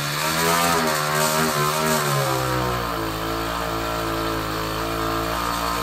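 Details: 66cc (also called 60cc) bicycle-kit two-stroke on hydrogen through a hydrogen carburetor, standard ignition timing: revs then settles with uneven popping through the intake and exhaust, backfiring out the carburetor and exhaust because the ignition timing needs to be retarded.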